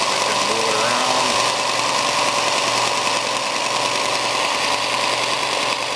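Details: New Shop Fox W1855 benchtop belt sander at first run: a constant, even belt hiss over a smooth motor hum, with no thumping, flapping or speed surges. The disc looks flat with no wobble and belt tracking is good, so it runs fine.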